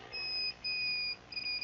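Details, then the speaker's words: Emphaser EA2500D car audio amplifier repair: multimeter continuity test from relay output to the other point gives three clean high beeps; continuity confirmed before rewiring and powering up. "Et là il y a la continuité. Donc c'est comme si je mettais à la sortie du relais ici et que j'arrivais ici ça fonctionne."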